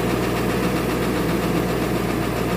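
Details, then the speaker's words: 2000 Ford Excursion 7.3 diesel with hard cold start and glow plug/intake heater codes, cold idle after fresh batteries: heavy uneven idle with dull irregular clatter; at least one, probably two cylinders misfiring, tired engine needing engine work. "you can hear the cadence of the engine there's at least one cylinder probably too better misfiring"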